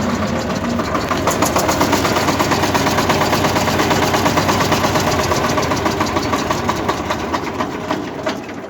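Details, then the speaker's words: Shifeng Chinese single-cylinder diesel mini tractor that wouldn't start after winter storage, running after the bad starter wire was replaced and rewired to its terminal: steady, even clattering beat with no misses or knocks; runs properly. "включаємо масу і йдемо пробувати нашого трактора стартер працює все хорошо В нас все працює"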